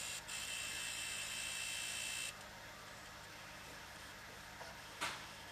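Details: Wii U console: high, thin electronic buzz with steady whine for about two seconds, then faint hiss; persists with the rear cooling fan and optical drive unplugged, cause unknown.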